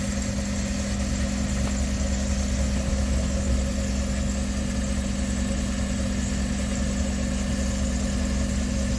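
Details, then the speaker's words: 1997 Dodge 3500 conversion van, 5.2 Magnum, first start after cylinder head replacement, towed with rear wheels down and driveshaft connected: a steady low whine over a rough idle; drives in 1, nothing in 2; transmission slipping suspected. "Still goes forward in one. Nothing in two. And you can hear a weird whine."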